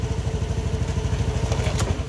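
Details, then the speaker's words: Honda Beat ESP scooter that suddenly cut out, running again after the fuse box and relay area was checked; small single idles with an even, steady putter, no misses or knocks; normal idle. "sekarang untuk troublenya sudah teratasi tinggal kita nanti bersihkan saja ini hanya untuk memastikan bahwa yang bermasalah di sini ya [Tepuk tangan] [Musik] hidup dengan normal"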